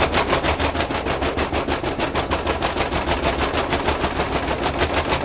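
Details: Zanussi ZTE-273 tumble dryer running: loud, rapid rhythmic clatter over a low rumble as the drum turns, caused by worn small drum rollers.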